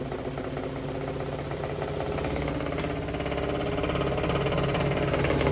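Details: Western Electric 10 antique fan after gearcase cleaning, drawing no leakage current: steady motor hum with rhythmic wobbling throb three or four times a second from bent, misaligned blades being slowly bent back; running somewhat better.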